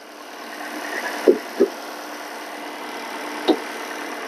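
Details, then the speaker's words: Normal idle of the 2.0 petrol engine in a 2019 Toyota Corolla TS (E21) hybrid, forced to run: quiet, even, slightly metallic hum with light injector ticking and no vibration or hunting; healthy. "słychać takie cykanie wtryskiwaczy zobaczcie jak ten silnik pięknie Równo pracuje tutaj nie ma wibra stara dobra japońska sztuka konstruowania silników benzynowych"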